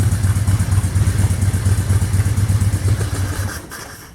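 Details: 1997 Harley-Davidson FLHTC Electric Glide Classic, rebuilt with used parts, running a Mikuni HSR42 carburetor: loping, uneven V-twin idle around two beats a second with varying pulses; owner attributes it to carburetor issues, fixed after a carb rebuild. Rough idle.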